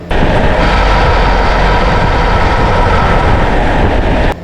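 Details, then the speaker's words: Chevrolet GM truck with 6L80/6L90 transmission, GoPro mounted underneath: very loud harsh low rumble and heavy shaking, steady throughout; torque converter shudder, metal found caked in the transmission pan. "This truck had a very loud shutter. It wasn't like it was just shaking the truck. I mean, it was really loud."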